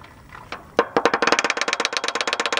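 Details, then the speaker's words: 1988 Chevy Silverado 4x4 engine, suspected run low on oil, oil pump locked and gear snapped, rod bearings two and four ground off: sharp evenly spaced metallic rattling knocks about ten a second; rod knock from loose connecting rods. "and then just started rattling like crazy i mean you can pull the screwdriver out of it and that noise right there is what it was doing when it was running"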